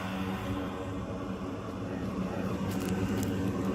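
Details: Radon fan recorded on the roof with the noise-reducing wrap removed for comparison: an even, muffled hum with a steady low drone and no rattle or buzzing, so the fan runs smoothly.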